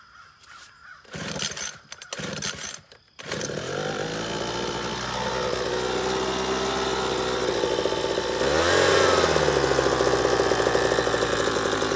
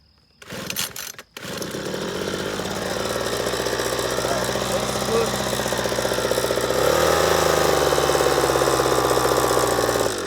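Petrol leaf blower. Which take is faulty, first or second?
first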